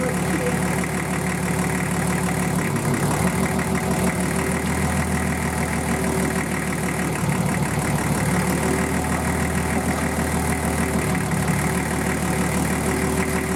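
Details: Nissan Patrol RD28 diesel freshly started for the first time after injector and pump install and air bleeding: steady, slightly rough idle clatter with no standout knocks; normal idle.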